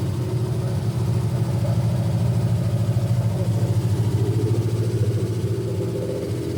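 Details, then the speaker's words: 1971 GMC C10 with fuel-injected 5.3L LS swap, first start, old gas, cam believed stock, tune not yet adjusted: deep, loping idle near three pulses a second, swelling and dipping unevenly; running very rich with eye-burning fumes, cause unconfirmed. "Okay, while she's running, my eyes are freaking burning. It's running super rich. Sounds like it's super cammed."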